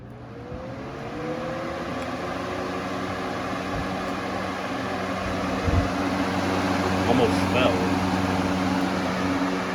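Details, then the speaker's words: Lasko B20610 box fan fitted with a replacement blue blade, switched on high. Motor whine climbs as the fan spins up, then a rhythmic wobbling thump about four per second; the blade is badly out of balance. "You can see it's really out of balance. Yeah, it's really out of balance."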